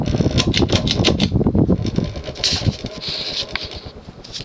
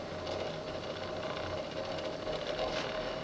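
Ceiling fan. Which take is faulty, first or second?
second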